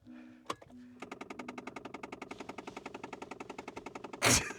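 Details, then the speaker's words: 2008 Mazda 6, almost 20 years old, at ignition on: fast even ticking of about eleven clicks a second behind the dash; owner suspects the air-direction flap actuator rather than the blower motor, happens every key-on. "There's something wrong with the blower motor. It's probably not the blower motor. It's probably the thing that directs where air goes. It's fucked. So it makes that noise every time you turn the ignition."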